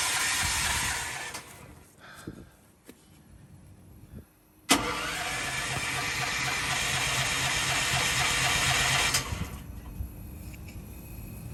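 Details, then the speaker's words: Propane-fueled generator, fuel tank just refilled, starter spins the engine in steady bursts for several seconds without catching; no-start because the propane regulator pressure was set too high, shutting off the valve. "I had that way too high. That's what the problem was. It was shutting that valve off right there."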